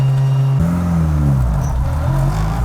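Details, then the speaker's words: Built race car with built PPG gear transmission: steady gear whine climbing with road speed over the engine drone; normal for the built gearbox, nothing wrong. "And I thought my gear winds were loud. It's that built transmission too, huh? The PPGs? Yeah."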